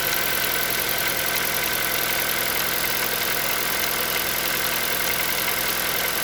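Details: Hyundai Solaris 1.6 cold start: fast, fairly even ticking knock over a bright, busy engine clatter at cold idle; engine knock when cold, cause unknown.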